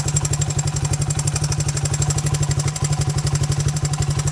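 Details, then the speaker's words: 1980 Honda XL185S single at idle: a steady quick ticking knock about four per second; owner suspects piston slap, not confirmed. "Here's the 185. It runs alright, but it has noise, which I think is piston slap."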